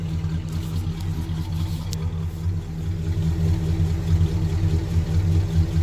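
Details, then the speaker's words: 1974 Pontiac Grand Am sedan, original 400 V8 with only a rebuilt carburetor, heard at the engine compartment: even, deep idle rumble with steady beat, no knocks, misses or hunting; healthy engine. "Go ahead and start it up for you. You could hear it. Sounds like a nice, healthy engine."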